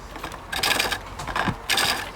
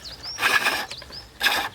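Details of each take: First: Treadle lathe, gouge roughing out a wooden billet: uneven bouncing scraping bursts about once a second as the gouge hits high spots on the out-of-round billet; uneven cut. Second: sound and you'll get long shavings coming off that will tell me without looking that I've got down to a cylinder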